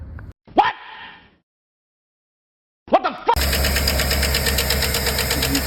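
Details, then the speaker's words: 2011 Chevrolet Suburban 5.3 LS V8 after short crank idles with a light, quick metallic ticking over the rumble on every start; found a bad lifter, the first one. "so uh turns out it is a bad lifter it is this first one here"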